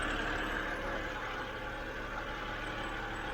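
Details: 2007 BMW 328i E90 after replacing the electric water pump, thermostat and reservoir, running hot with no leaks: warm six-cylinder idles smooth and steady with an even low hum, no misses, ticks or knocks; healthy.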